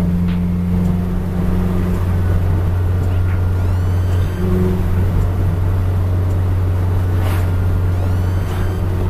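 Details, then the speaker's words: Honda Prelude F20B with a new Precision 6266 turbo and downpipe, no charge pipe fitted yet: thin high whistles sweep upward over a deep steady engine drone as the turbo spools and vents freely from its open compressor outlet. "either and I hear that turbo whistle it was real crazy along the way man"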